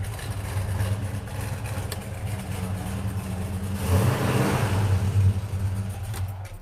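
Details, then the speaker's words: 426 Hemi V8 in a pistol-grip 4-speed car with air grabber open: deep burble rising into strong rev around four seconds then settling, pulls clean; normal healthy idle and revving. "When he takes this car out, you think I rev it high. You have to see how he drives it. Hard, very hard, let me tell you."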